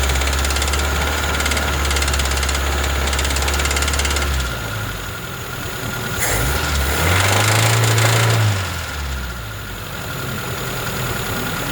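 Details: ZAZ Slavuta 1.3 engine with a regular metallic knock about three a second, tracking the revs. It persisted after the head was removed to retrieve a carburetor stud that had fallen into cylinder 2. Four mechanics could not find the cause.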